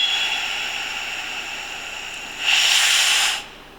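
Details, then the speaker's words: Scott Air Pak SCBA maintenance check: the purge valve is opened to bleed the remaining system air, and the heads-up display lights drop from 3/4 to half to empty. A steady high hiss jumps louder, then fades. Normal purge. "so I'm going to go ahead and purge the rest of the air that's in the system and you will notice that the lights will start going down"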